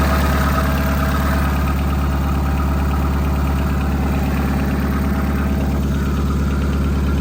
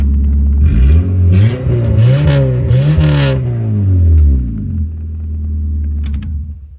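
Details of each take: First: 2001 Honda Civic LX donor with blown head gasket, engine overheated, oil and coolant smelling bad; loud idle with a regular lumpy stumble about twice a second; engine misfire, owner suspects bad ignition coils, unconfirmed. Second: 2001 Honda Civic LX donor with a blown head gasket, fitted with new cheap coils and first running: clean revs settling to an even idle, no misfire; sounds healthy.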